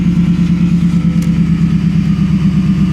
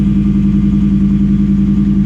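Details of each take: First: Coyote V8 in a Copart vehicle just after start, loud exhaust, check engine light on: lumpy idle with a steady low hum underneath, source unclear because the exhaust masks it; humming noise at idle. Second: Ford Coyote V8 in a Copart auction vehicle with loud exhaust and check engine light on: smooth, even idle with a steady low burble and no ticks or knocks.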